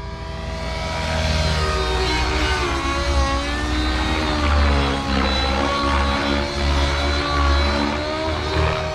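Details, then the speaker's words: OS 55 AG nitro engine with power boost pipe on 30% heli fuel in a nitro RC helicopter, warmed up after tuning: strong steady high tone swelling with load without sagging, normal smoke trail, good mid-range and power. "so that smoke Trail is about normal that mid-range feels good"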